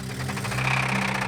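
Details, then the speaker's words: 1985 Toyota pickup, replacement 22R engine swapped in about a week earlier for a seized 22RE: sharp regular knocking taps in time with idle over steady hum; hard internal engine knock, engine failing after one week. "Well, I don't know about you guys, but I don't think a 22 RE is supposed to sound like this."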